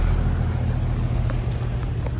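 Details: Goodman outdoor AC unit, about three or four years old, not cooling: steady deep hum because the 45/5 run capacitor has failed, likely burnt out sooner by poor airflow.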